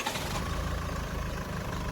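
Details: Land Rover Freelander 2, formerly a complete non-start from broken CAN bus wiring with ECU errors, after the wiring repair: steady, even low rumble with no misses, knocks or hunting; no dash warnings besides driver's door open.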